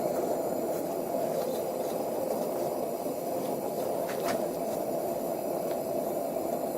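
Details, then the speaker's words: Coleman 220 lantern after installing a new generator and mantles, cleaning knob turned: once the fuel vaporizes it kicks on like a jet, a steady even hissing roar with no sputtering or surging; normal burner. "And once the gas gets vaporized, you'll hear it kick on like a jet."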